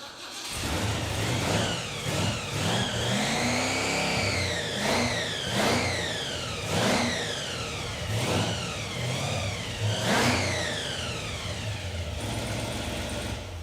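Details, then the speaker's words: 1975 Jeep CJ-5 with a supercharged Chevy 383 short-block (Weiand 671 blower), after fixing a fuel hose leak: the V8 revs cleanly with a rising and falling blower whistle and settles to a steady idle. Running healthy. "okay that's way better than expected yeah fixed the blown 383 runs mint"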